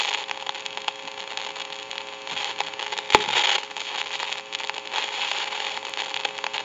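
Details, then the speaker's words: Northern Electric Galion rotary desk telephone handset heard through an amplifier: steady hiss with constant crackles and sharp pops, worsening over time; noisy carbon transmitter. "you can hear that crackling static and it can get worse the longer it goes along should be able to pick that up in the video it's kind of a staticky hissing crackling popping noise"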